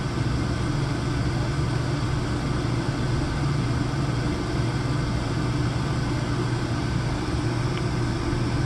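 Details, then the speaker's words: Oil burner down-fired with new 1.0 GPH 80° hollow nozzle replacing 1.25, tested with Testo 310: CO 0, efficiency near 80%; smooth even low roar, no pulsing. Normal burner operation. "CO still 0. Very nice burn. Can't complain about that."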